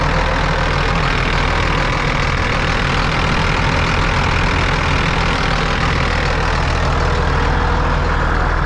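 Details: John Deere 8300 tractor rebuilt after a rollover, on its field test run: deep steady diesel drone holding even note under load, no knocks or hunting, temperatures stayed good; normal running under load.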